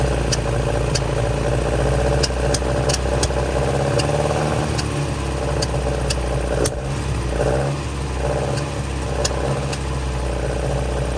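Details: 1966 Volvo Amazon 122 estate, abandoned and long unrun, first start on jump; four-cylinder settles into steady, even run with clean throttle blips, faint ticking on top, getting hot, oil reaching head; sounds healthy.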